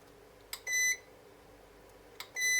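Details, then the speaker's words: Electronic load unit just after an 11-minute max-load test (transistor about 63 °C, heatsink 52 °C), with the fan still running: a click, then a short high beep repeating about every 1.7 seconds, as the unit malfunctions and needs a power cycle. "Як бачите щось не так сталось з навантаженням давайте відключимо живлення включимо знову"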